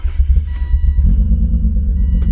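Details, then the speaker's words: BMW E36 convertible idling after swapping ignition coils between cylinders 5 and 6: deep lumpy idle with uneven beat and stumbles; misfire stays on cylinder 6, so coil is not the cause. "So still misfiring. Let's get a pull 5 first and see if it makes a difference."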